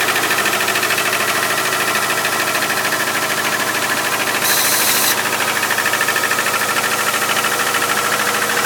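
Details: 2001 Subaru Outback 2.5, 278k miles, valves already adjusted: strong metallic rattle about three ticks a second when accelerating during the first 10–15 minutes cold, much less after steady driving; cause unknown.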